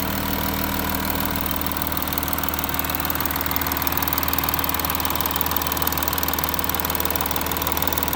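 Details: Audi A6 4G idling after passenger-side exhaust camshaft replacement: smooth, even idle with steady low hum, no ticking or clicking; former knocking is gone, engine sounds healthy.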